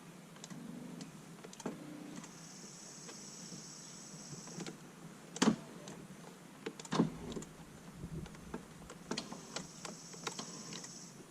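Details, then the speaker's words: Lincoln Town Car during electrical repairs: two smooth, steady power seat motor whines of a few seconds each with clean starts and stops; seat works, though the owner suspects a bad switch since some directions don't move. "Alright, so the seat is working."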